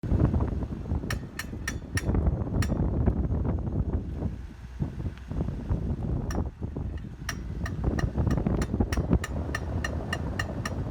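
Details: 2005 Volvo XC90 while driving: sharp metallic pings about three per second over road rumble. The noise was diagnosed as the driveshaft (prop shaft) rather than a CV axle or suspension, and the prop shaft was then repaired.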